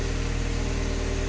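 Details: Project car warm after a coolant leak repair, cooling system under pressure and thermostat open, being rechecked for leaks: steady, even low idle with a smooth regular beat and no knocks or misses; normal.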